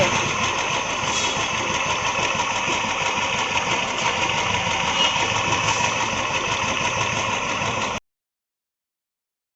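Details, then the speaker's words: Royal Enfield UCE Electra single-cylinder at idle, almost no oil pressure, play found between piston and block: rattly clattering knock on each beat, about three a second; piston slap. "ये UC Electra है। ये गाड़ी में इंजन में साउंड है।"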